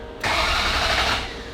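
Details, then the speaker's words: Ferrari 348 after engine-out timing belt major service, first start attempt: starter spins the engine evenly with ignition coils disconnected to build oil pressure, no firing. "remind you at this point we do have the ignition coils disconnected"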